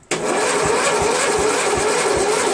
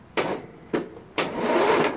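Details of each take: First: $40 Cub Cadet MTD lawn tractor, new battery fitted, oil just topped up: sluggish, labouring crank with a slow wavering rhythm about three pulses a second, never catching; cranks too slowly to start. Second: Cub Cadet MTD lawn tractor with new battery, ignition switch hard-wired to the solenoid to bypass seat, brake and PTO safety switches, almost no engine oil: three short bursts of free starter cranking; normal cranking.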